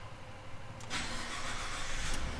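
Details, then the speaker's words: Ford F-150, very low on fuel with low-fuel warning: brief sluggish crank, then catches and settles into a rough low idle; starts, but slowly. "little slow but perfectly good come on give me some fuel dang it fuel level low again okay well whatever it started that's what matters"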